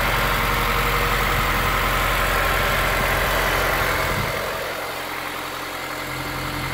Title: S2000 engine noise cold start - after TCT install.